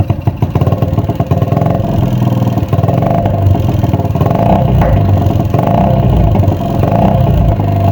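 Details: Honda Supra X 110cc (engine code JN5) after engine teardown, complaint of noisy engine and fouling spark plugs: light ticking, rough rattle on the exhaust beat through the revs, from a worn cylinder liner that should be bored or replaced.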